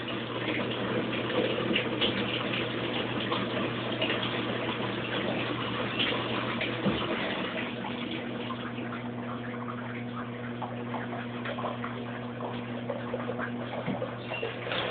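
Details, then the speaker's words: Kenmore Oasis top-load washer after an OL-code repair of a clogged shaft: at 19 minutes left the spin winds down and it goes into rinse, with a steady low hum and water pouring in evenly as it fills normally. "Okay, I hear it winding down from spinning. 19 minutes. Sounds like it's going into rinse."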